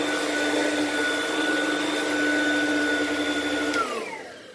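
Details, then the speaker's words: Used lightweight Oreck from Facebook Marketplace: a steady high motor whine with a thin extra tone, winding down at switch-off. The weird noise is possibly from the brushroll or the fan; the source is unclear. "there's some sort of weird noise I don't know if that's coming from the brushroll or from the fan or what"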